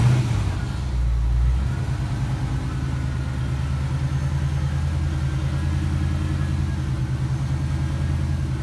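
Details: Fox Body Mustang 5.0 V8 after water pump, timing chain and larger alternator replacement: steady, even idle with a smooth low rumble and no knocks or ticks, just before shutdown ahead of a road test; running healthy.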